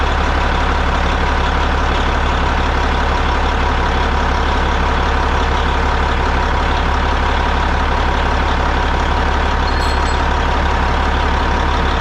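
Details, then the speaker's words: Caterpillar 3406E diesel in a Peterbilt 379 idling after installing a Borg Warner turbo and FullTilt exhaust manifold. Steady, even low diesel drone with no hiss, whistle or knock: normal diesel idle. "About to fire it up. Make sure everything's going to do what it's supposed to do. Don't have no leaks."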